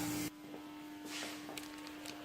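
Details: Air suspension leak search with a bag inflated on the car: a brief tone cuts off, then a soft steady hiss continues; fittings and bag seem fine, leak suspected in the air hose behind the fitting.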